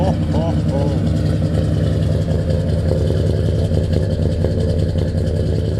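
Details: 1989 Ford F-150, just fired up after new Flowmaster Delta Flow 40 mufflers were installed: a deep, even V8 rumble at steady idle with no ticks, knocks or exhaust-leak puffs; running healthy.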